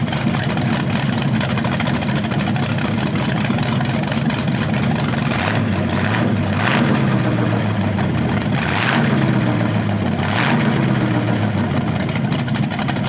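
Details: BluePrint 396 big-block crate engine for a 1970 Camaro SS, first run with headers and flywheel: lumpy but even idle, clean pickup on blips; healthy, though the owner notes a slightly different sound on revs, unsure if headers or flywheel.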